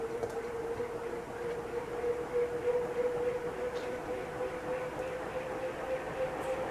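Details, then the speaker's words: Restored Safer-made Airmaster industrial ceiling fan with steel blades, a stamped steel motor and a replaced capacitor after a stiff-bearing seizure. Winding up on high as current drops from 0.73 A: smooth steady whoosh, even tone near 500 Hz, no knocks; healthy. "And it sounds like it's still accelerating. So one thing about steel blades, they take a long time to speed up, and then they will have a long spin down time."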